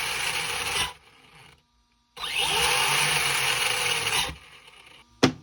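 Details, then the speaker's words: ARRMA Senton 2WD brushless motor on the bench after throttle trim centering: two short, smooth, high-pitched spin-ups with no grinding or stutter. Full throttle forward and correct reverse; normal motor run. "Looks like that worked. We got full throttle going forward, and reverse is exactly where we want it to."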